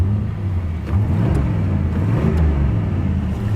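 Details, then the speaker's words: 1987 Chevy Monte Carlo SS V8, parked over 20 years, fully warm with 30 psi oil pressure, revved: the rumble climbs but lacks the extra roar of the back barrels; the carburetor secondaries are not opening. "I'll tell you what I don't hear, though. I don't hear the secondaries."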